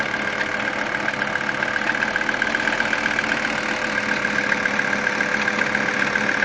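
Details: 1980 Mercedes 300CD diesel at idle: a steady clatter with a faint repeating knock, about three to four beats a second, more audible with the AC on; not located with a mechanic's stethoscope.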